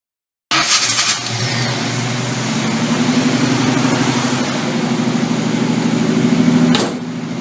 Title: hard start